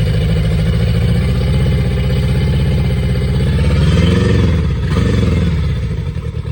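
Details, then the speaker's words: Yamaha 50HP (T50) outboard with water found: lumpy, uneven low beat about four per second through the revs, one cylinder missing; it lost its compression to zero psi after running, a dead cylinder. "well this just got even more interesting it ran good for a second with decent compression and then it smoked its compression"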